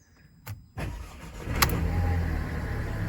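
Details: Mercedes B-Class started after fixing fault code P0470 (exhaust pressure sensor): door clunk, brief crank, then engine catches and settles into a smooth, even idle; normal start.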